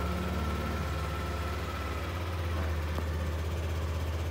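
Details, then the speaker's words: Yamaha NMAX scooter with engine warning light staying on: idle runs fast and never settles low, a steady busy high idle; faulty idle speed control. "kita dengarkan mesinnya ya ini terus dan suara mesin itu rpm-nya cepat ya Jadi kurang rendah"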